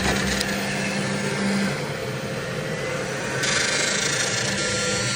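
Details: Brand-new Centauri: steady rough, gritty whir from the model fan that never lets up, a bad bearing in the model fan.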